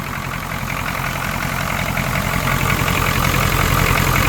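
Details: 1980 Cadillac Eldorado Biarritz, factory 350 (5.7L) V8 diesel, warmed up, batteries a little low after sitting: steady, even diesel clatter at idle, about four knocks a second over a solid low rumble; normal healthy idle.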